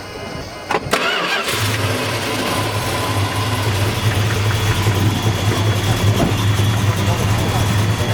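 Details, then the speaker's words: 1972 Dodge Demon H-code 340 V8, matching numbers, 1969 X heads, aluminum intake, headers, 2.5in stainless exhaust, 727 automatic, fresh restoration with 1,000 miles: quick crank, clean catch, deep steady lumpy even idle; healthy normal start. "Man, sounds good. The 72 motor has had an upgrade to 69 X heads, Wow. which brings it to the power point of the 70-71 340 Mopars."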